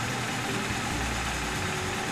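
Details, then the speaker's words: 2010 Nissan Sentra 2.0L (timing chain) misfiring with a rough, stumbling, skipping idle. Intake boot was checked and fine; no code reader was used. Owner suspects a bad ignition coil, unconfirmed. "I'm pretty sure it's a bad coil so I'm going to bring it in"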